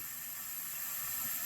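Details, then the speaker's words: 1981 Honda CB900C during a leak-down test on cylinder 4 with the engine stopped: steady airy hiss of air escaping into the crankcase at 85% leakage, suggesting possibly worn piston rings. "Testing number 4 cylinder, and listen for the air. It's going right down in the crankcase, and we have 85% high leakage"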